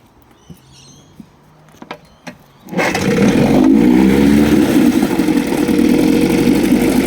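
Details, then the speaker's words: Evinrude Angler 5 hp (6) outboard after major refurbishment with new wires and plugs: a few quiet clicks, starts straight away and settles into a steady, even buzzing idle with no misses; normal start and idle. "way we go start straight up and uh running beautiful run very beautiful here we are beautiful beautiful idle on it"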